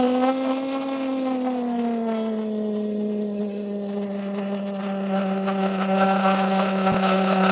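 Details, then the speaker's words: Nitro RC car on a Savage three-shoe clutch that engages too soon, run during tuning: a steady buzzy drone sags in pitch, hangs low and recovers slowly. The mixture is too rich, with too much fuel going through, and it lags and shuts off. "It's too lane. I mean too lane. Too rich. All right. Since it's too ri rich, I should have gave you a little example what it's like when it's too rich."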